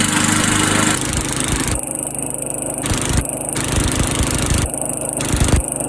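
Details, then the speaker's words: Old Sears Craftsman Eager 1 mower, single-cylinder Tecumseh engine, air filter installed, smoking off; loud, crackly exhaust bark at steady speed with no stumbling, running healthily with noisy exhaust. "So I figure with the way the weather is right now, this might be the best time to let it smoke off. But boy, is that exhaust loud."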